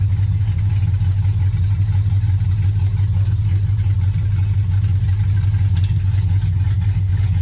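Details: 1979 Camaro with LS swap, no exhaust pipes: loud, open-sounding V8 with a steady low rumble and slightly uneven pulse, running a bit rough at idle.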